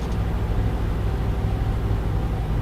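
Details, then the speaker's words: Truck with a new driveshaft, balanced via indicator without weights, at 70 mph: steady low road rumble with no hum, drone or vibration; driveline smooth here, though a hum appears below about 68 mph (roughly 50–65). "I got no hum up here at 70. It feels fine. No vibration whatsoever."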